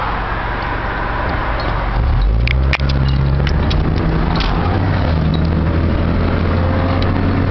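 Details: 1997 Honda Civic LX automatic, stopped in Drive then pulling away, check engine light for catalyst efficiency below threshold bank 1: deep loud exhaust drone swelling on acceleration; owner unsure if the muffler needs replacing.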